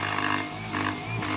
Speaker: When I push the vacuum forward, when there's a lot of suction, the brush bar bristles like to rub against the comb. And then as a result, you can hear it grinding and making an awful noise.